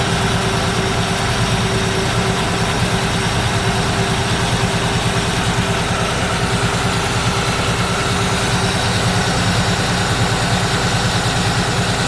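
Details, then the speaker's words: 1964 Ford Fairlane V8 with an old Busch Series race carburetor: steady fast idle that never settles, staying far too high because the throttle return spring is too weak to close the throttle. "we've had a lot of issues with it so far it won't idle down it's still it's still idling up way too high"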